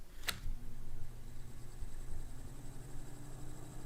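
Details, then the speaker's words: 1990s Super Jet Stream turbo fan, unrun about four months, started on low before oiling: click at switch-on then low hum with faint tone creeping up slowly; stiff, dry motor bearings slow the spin-up. "so the motor is going to take its sweet old time getting up to speed the berries are a little stiff so that that's the reason for that you can hear it slowly picking up speed"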